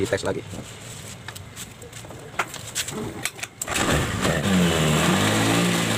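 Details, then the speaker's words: Honda Spacy automatic scooter that made a rough noise from the rear CVT on starting and throttle, after grinding the bent shaft smooth. It starts and revs cleanly with no rough rear grinding; the noise is gone and the CVT sounds normal. "sudah hilang ya teman-teman suaranya ya kita coba gas"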